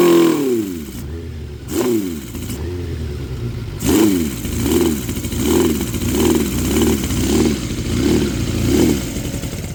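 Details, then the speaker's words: 2006 Suzuki GSX 600F Katana after carb cleaning and sync, mixture screw at 1.5 turns out: after revving, idle rises and falls in a regular hunt about every 0.7 s and never settles; owner suspects it ran low on fuel. Surging idle. "and it kind of like jumps up and down I don't know if uh that's because it uh ran out of fuel"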